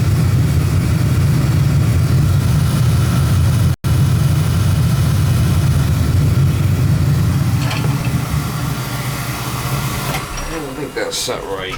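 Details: Oil burner gives a steady deep roar, even until shutdown; firing normally. Draw assembly is suspected set too far in, possibly wasting fuel.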